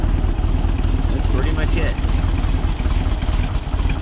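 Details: VW Split Bus air-cooled flat-four upgraded from 1904cc to 1968cc (92 thick walls, SuperStock 37/32 heads, Weber carbs), freshly installed: deep, steady burble at tickover with an even low pulse and no knocks or rattles; a healthy idle.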